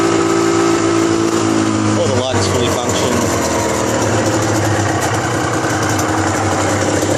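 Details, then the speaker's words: Suzuki RGV250 two-stroke, about 43,000 km, cold engine on full choke: crisp even burble at slightly raised idle, no misfire or knock, both exhaust pipes smoking evenly; normal cold idle on choke. "hopefully you can hear them both exhaust pipes are smoking evenly a little bit high at the moment that usually goes down soon choke is fully out"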